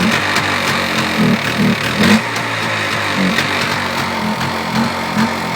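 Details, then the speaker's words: Polaris Xplorer 400 two-stroke ATV, first run in two years, choke just shut off, too much oil: engine runs ragged, surging and sagging, won't idle; sounds fuel-starved, cause suspected not confirmed. "I get off those ugly mirrors still doesn't want to idle but whatever not too big of a deal"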